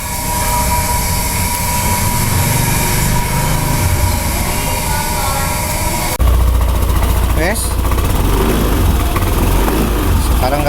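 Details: Yamaha NMAX scooter after a temporary repair of a broken airbox intake resonator that had caused a snoring intake noise: steady, even running with a smooth intake note and no snoring. Normal running.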